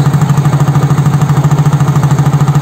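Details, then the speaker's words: Soul GT fuel-injected scooter (Mio J engine) that stalls repeatedly, warmed to 80°C, scanner showing low barometric pressure of 85 kPa: steady, even putter of about ten pulses a second with no misses; idle sounds normal. "Oke kita Nyalakan mesin dulu nah mesin sudah nyala kita tunggu sebentar suhunya sudah 80 derajat suhu ideal putaran mesin motor injeksi itu rata-rata di 1500 sampai"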